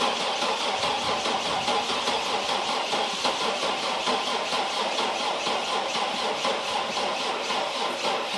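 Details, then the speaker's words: Cold start of Chevy TrailBlazer V8, 170k miles: steady fast cranking that never catches or fires; dead cylinders and hard cold start, cause not confirmed — cranks but will not start. "Looks like it's not going to start today."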